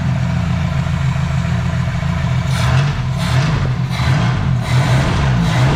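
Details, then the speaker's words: 1972 Ford Pinto Runabout with a freshly restored Motorcraft carburetor, mixture screw 2.5 turns out: smooth steady idle, then quick throttle blips that rise cleanly and drop straight back without stumbling; normal running. "that's the way a carburetor's supposed to work, y'all. Pulled it 2.5 out and shouldn't be screaming because it's not loud. I mean, that's idled just about perfect."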